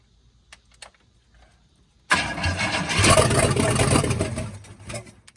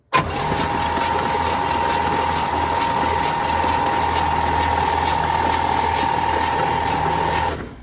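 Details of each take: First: 1966 Cadillac Eldorado V8 that sat about 40 years, run with no exhaust fitted: after a pause it cranks, fires and runs rough but steady for a few seconds, then shuts down. Lifter and lower-end noise are masked; transmission fluid is pumping out underneath. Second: 1966 Cadillac Eldorado that sat about 40 years, first start attempt: the starter turns it over at a steady, even pace for about seven seconds with no grinding, but it never catches. Crank, no start.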